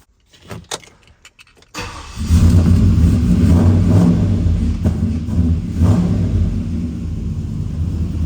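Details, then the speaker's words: Chevy pickup just after a junkyard-parts hydroboost conversion, with the power steering fluid refilled and bled: the engine starts and runs at a steady low rumble with no whine from the power steering pump. Normal. "No noise from the power steering pump, that's a good sign."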